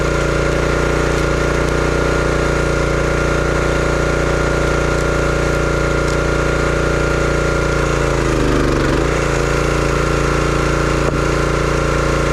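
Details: Brute 30-ton log splitter, Briggs & Stratton engine (9.5 ft-lb gross torque, roughly 5–6 hp), brought in as a no-start: steady, even drone with a brief sag around eight seconds as the splitter takes load, then smooth recovery; runs healthy.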